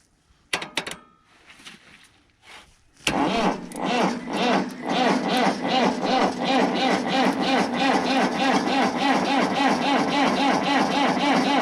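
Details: B275 diesel, sat for months after a rebuild, not terribly cold: steady starter cranking about three turns a second that never catches; fuel system lost prime, sucking air around the petcock, no fuel getting through; battery cable suspect.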